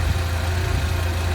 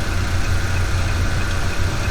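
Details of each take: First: Old Jeep engine at idle, heard through a mechanic's stethoscope probe on the idler pulley: steady, even low hum with no grinding or whirring. Idler pulley normal; the regular noise was traced to the tensioner pulley, likely its bearing. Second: Old Jeep petrol engine idling, worn belt tensioner pulley heard through a mechanic's stethoscope: steady regular humming noise typical of failed tensioner bearing; injectors, power steering pump, compressor and idler pulley checked normal; tensioner to be replaced.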